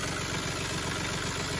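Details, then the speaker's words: Small diesel tractor warming up at idle: quick, light ticking over the engine, seemingly near the area marked oil. Owner suspects the oil pump but is unsure; the ticking lessens and nearly disappears once the engine is fully warm. "That ticking will lessen and almost go away once the engine is really warmed up well."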